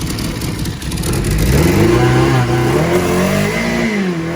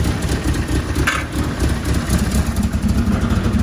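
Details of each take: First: 4G63 four-cylinder compound turbo Fox Body Mustang, first start, revved after about 7 minutes cool down, dummy transmission fitted: blips choppy and uneven, pitch rising and falling; radical cams, needs tuning; lumpy untuned engine. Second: 4G63 compound-turbo engine in 1991 Fox body Mustang, first start, 4-inch exhaust with no muffler, small exhaust leak at top: steady, even, subdued low burble at idle; engine healthy, oil pressure over 100 when cold.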